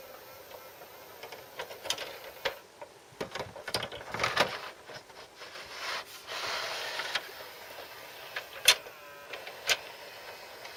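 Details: Newly bought RCA SKT-400 CED videodisc player whose mechanism whirs, clicks and rattles loudly in uneven bursts; owner unsure whether this is normal.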